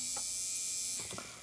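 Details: Fleischmann BR 78 model locomotive motor, on the bench during digitalisation, after cleaning with isopropanol freed a seized motor. A thin high-pitched buzzing whine runs evenly for about a second, then dies away as the small motor spins freely.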